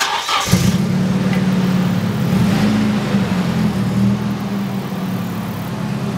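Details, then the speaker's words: Nissan 240SX at idle: loud steady jet-like whooshing roar that stays constant with the engine; the fan clutch is gone and locked up, fan or clutch needs replacing. "so as you guys can probably tell from the sound there it sounds like a jet engine and that is basically coming from this guy right here basically the clutch in this is gone"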